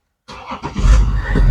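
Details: 2015 BMW X5 diesel, started after replacing a leaking driver's-side air spring: brief starter whirr, then the diesel catches and settles into a steady clatter; normal engine start.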